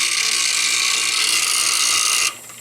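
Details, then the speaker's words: Bryant heat pump outdoor unit in winter, under a month after a previous repair: harsh high-pitched ratcheting buzz for about two seconds as the two-stage compressor tries to start, then cuts off; high stage lockout shown; control or compressor fault undetermined. "Okay, that didn't sound good. So that was the event. Damn, we missed it."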